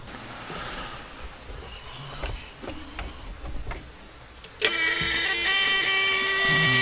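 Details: 1980 Peterbilt 359 EXHD with 3408 Caterpillar diesel, after air and fuel tank work: big diesel fires and holds a steady idle with a high whistle on top; sounds healthy.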